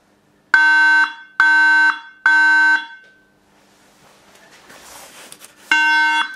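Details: Apple iMac 3.6 GHz Intel running Mac OS X 10.7.3: three loud, steady beeps about half a second apart at power-on, a RAM fault. Fixed by removing and reseating the memory.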